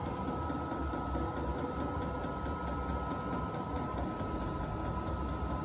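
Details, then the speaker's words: VEVOR 8K diesel heater on its first test run in an enclosed tool trailer. It has just fired but is not blowing hot air yet. Steady low whirring with fine even pulsing and a constant high tone, no misfire or chuffing; running smoothly. "I don't want anything to slow that exhaust down. I want that heat getting out of that pipe as quick as possible. Sounds like it's fired. But no hot air yet."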